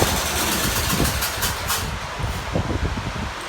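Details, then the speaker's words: 1969 Locke reel mower, long-stored barn find: catches and sputters unevenly, fading within seconds, won't hold a steady run after carburetor cleaning (main jet not removed); carburetor suspected, not confirmed. "so i gotta dig into that carburetor a little more i couldn't get the main jet out of that cavalry either but i tried to clean it the best i could i guess it's not uh not doing it"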